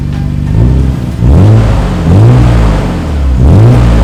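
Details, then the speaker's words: 1991 Nissan R32 Skyline GTR with its Jasma exhaust repaired, having earlier run without a muffler; deep, even exhaust rumble with clean rev blips rising and falling smoothly, no rattles or popping; normal exhaust note. "It's fixed and it sounds great. Very, very smooth."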